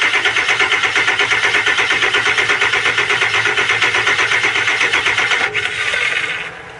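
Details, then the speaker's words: 2001 Ford E350 7.3 PowerStroke diesel with freeze-cracked block, oil found in the coolant: hard, lumpy pulsing with rough uneven beat, shaking badly before sagging and dying. "It's shaking big time, ain't it?"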